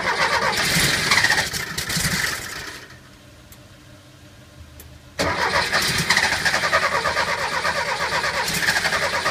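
Two spells of steady starter cranking with a brief quiet gap between, and the engine never fires; cranks but won't start.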